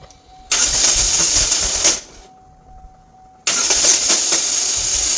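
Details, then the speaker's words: 2013 GMC Terrain 2.4L Ecotec cranking: two harsh high-pitched grinding whirs of about one and a half seconds without the engine catching; failed reduction-gear starter drive, typical bad-starter sound; starter sits in front by the radiator. "So that what you just heard there is a starter, a bad starter. This newer vehicle have a reduction style starter, reduction gear, and that's what they kind of sound like when they go bad."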